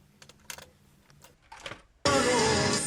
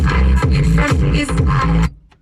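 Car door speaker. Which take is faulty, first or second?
second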